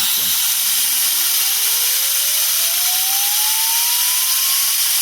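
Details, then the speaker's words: Supercritical CO2 turbine-compressor test core retrofitted to externally pressurized porous media air bearings, air-driven to about 9,000 rpm: smooth tone rising from low hum to high whine under air hiss, no rubbing; quiet, frictionless spin-up. "this up to get it going about 9,000 rpm with this, and when I turn the air pressure off, you can hear how quietly that runs. It's just completely smooth and frictionless."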